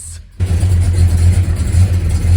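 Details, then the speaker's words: Supercharged 1961 Studebaker Hawk, first start after 5½ years in pieces: the engine catches and goes into gear with a deep, steady, even drone and no knocks or misses. "will it start yes now will it go into a gear and this thing sounds good also really hard to do with the seat loose yes"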